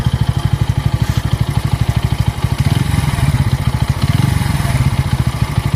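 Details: Bajaj Pulsar N160 at a rough idle with a loud uneven clattering beat about three per second, harsh rather than smooth; the engine was smooth until the first service at 500 km, rough ever since, cause unclear.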